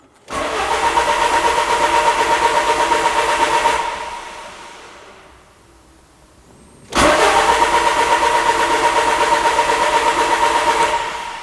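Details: 2000 Peugeot Partner cranking: steady even cranking near 160 beats a minute over two long tries without catching; rev counter needle doesn't move, suspected missing engine speed signal.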